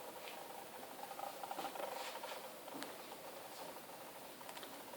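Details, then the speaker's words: LX90 telescope just gotten back, drive slewing: faint, irregular scratchy rasping in short bursts in a quiet room; source unclear, seems to come from various parts of the mount; owner asks whether it is normal. "thought that noise was coming from here but it it seems to come from other parts of the scope as well it's hard to tell actually"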